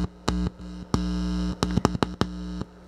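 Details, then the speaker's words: Working audio amplifier project with a loose, unshielded wire hanging off its moderate-impedance input. A loud low buzz cuts in and out each time the wire is touched. The floating input is picking up mains hum. "and it picks up the electrical noise and it gets really loud when I touch it."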